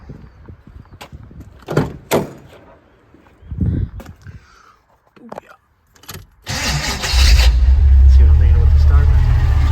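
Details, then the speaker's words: G-body car with a high-torque mini starter needing reshimming: after a few clunks, a short harsh grinding rasp while cranking, then it catches to idle; starter gear meshing poorly. A whine is also suspected to be a gear drive or the transmission. "And the high torque mini starter needs to be reshimmed. So it's got some noise there."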